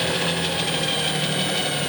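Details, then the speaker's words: Clausing 5900/6903 14-inch metal lathe variable-speed drive after crosshaft repair, at full 60 cycles, top of speed range: steady even hum with constant high whine, no knocks or grinding, far quieter than before; normal. "that is dead quiet not even anything close to how it used to be now we're not running very fast full sixty cycles on there"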